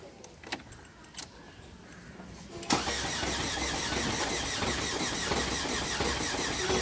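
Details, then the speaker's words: 2012 Ford Fiesta, cranks but won't start: starter spins at an even beat of about three a second without catching; engine RPM reading present but fuel pressure enable for start not set; immobilizer fault. "வண்டி crank ஆகுது, start ஆக மாட்டேங்குது. Engine RPM வந்து pickup ஆகுது."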